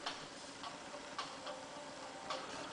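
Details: Repaired jukebox CD mechanism (VAU 1254/11) stepping up through the tracks: quiet light ticks, one per track step at an uneven pace, with no grinding or repeated clatter. It is working without errors after the repair.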